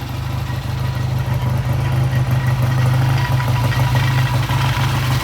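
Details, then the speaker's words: Vintage British motorcycle idling on a new temporary ignition system lashed to the frame, with new plug wires, good spark and timing set: steady low thumping idle, about three even pulses a second, no misses; best it's ever sounded. "This is the vape system. The bike sounds good. We've done the timing, we'll show you. That's the best it's ever sounded."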